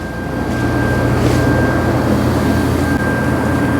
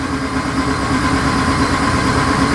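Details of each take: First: 2013 Ram 2500HD with a 5.7 Hemi, towed in with a crank no-start and P0685. With the TIPM's ASD relay bypassed, there is a short crank, then it catches and settles into a steady smooth idle. The fault is the relay's control side, later fixed by soldering a wire. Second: 2012 Ram 2500HD 5.7 Hemi crank no-start, P0685, from a fault in the TIPM ASD relay control side; check engine light flashing, RPM signal present: starter spins the V8 steadily with an even whir but it never catches.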